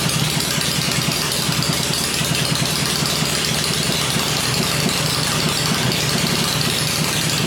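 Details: Rebuilt 96-inch V-twin with Edelbrock heads on an engine stand, with oil pressure: loud, even lumpy beat at gentle fast idle, steady firing, no knocks or ticks; normal idle.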